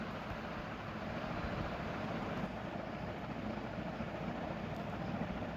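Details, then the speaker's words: Toshiba 8 kg washing machine after replacing the drain pump that was very noisy during spin; steady even whoosh of water over smooth motor hum, no rattle or grinding, pump now healthy. "بعد تغيير الطرنبه الصوت هيختلف تماما تماما زي ما حضراتكم شايفين كده"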